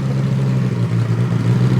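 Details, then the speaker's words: Ferrari-engined Alfa Romeo 105 on first run, warming up around 41°, exhaust valves open: loud, deep, even V8 burble at idle with no misses or knocks; normal idle, though a small coolant drip appeared later. "I said I have the exhaust vals open it is really loud with the exhaust vals"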